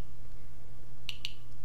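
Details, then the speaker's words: Geiger-Müller counter board with GM tube, 5 V, read by Arduino Uno with Nokia 5110 LCD; source just removed, readings back to baseline around 40–50 CPM after ~600 CPM peak; two sharp isolated ticks over faint mains hum, normal background count. "but now you see that the recent values go back to almost zero or sorry that's like 4050 so they go back to the baseline"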